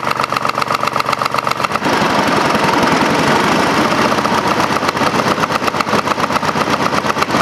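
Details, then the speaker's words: Craftsman GT5000 lawn tractor twin after woodruff key replacement, run without cooling fan and housing: hard, uneven chuffing about four beats a second, rattling and lumpy; rough running with vibration, cause unknown, owner doubts crankshaft or weight problem. "if it was a mechanical vibr ation as the RPMs got come up it would get worse you know if I had a problem with the crankshaft or some weight problem you know so I don't know what's going on"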